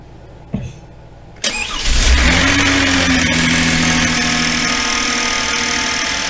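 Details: 2016 Hyundai Genesis Coupe after fuel pump replacement, fuel pressure now 60–70 psi versus 40 dropping to 20 before: starter whirs briefly, then the engine catches cleanly and settles into an even, steady idle with no misfire or stumble.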